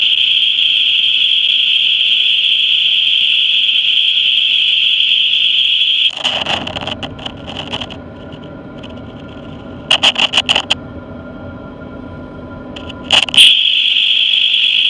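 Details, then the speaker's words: 2013 GMC Terrain, roaring whine while driving, chassis-ear microphones on transfer case and its axle bracket: steady high whine under driving, loudest on those channels over road hum, pointing to worn transfer case bearing. "clearly the L loudest from the blue and the white the blue was hooked to the uh this here transfer case and the uh White was hooked to this bracket that hooks to this transfer case here at this axle"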